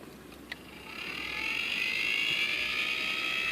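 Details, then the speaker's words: Honeywell zone damper actuator after replacement, commanded to open: a click, then a thin high whir that rises and holds steady without grinding or stalling as the spring and gear drive the damper open; normal operation. "obviously I can I can hear the spring moving the gear shift and and opening it again"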